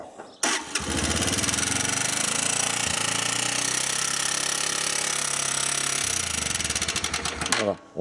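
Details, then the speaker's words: 125cc four-stroke, 24 km after top end rebuild, before adjustment: fast even ticking over the idle from rockers clattering; valve clearance too loose. "on entend bien les culbuteurs qui claquent."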